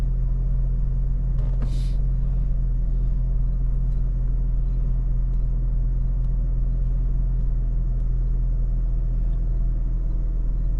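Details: 2009 Saab 9-7X (Trailblazer-type) no-start case, after PCM programming and during crankshaft relearn: constant deep hum, smooth unbroken idle with no misses or knocks; idling normally.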